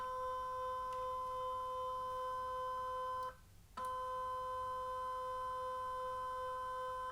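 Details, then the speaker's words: Elite Direto smart trainer powering up: steady mid-pitched electric hum with a brief dropout then even again, stepper motor moving magnets to set resistance; normal, only heard at power-on or resistance changes. "so when you hear this noise it's when the units are turned on for the first time or when they change resistance if you're just riding on that the same resistance it won't make any noise whatsoever"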